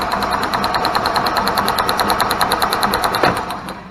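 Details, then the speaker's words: Club Car gas golf cart after replacing the failed RPM limiter box: steady cranking about three turns a second with even ticks, spinning freely, spark confirmed, before plug reconnected for a run. "I would say we're getting spark. Alright guys, we're going to plug this thing back up and see if we get a run."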